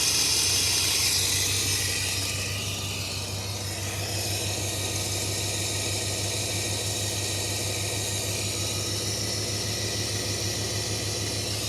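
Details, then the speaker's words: 1995 GMC, idling while distributor is turned: loud hissy rush fades and settles quieter as retarded ignition timing is brought back to 0°. "see how much quieter that's getting now"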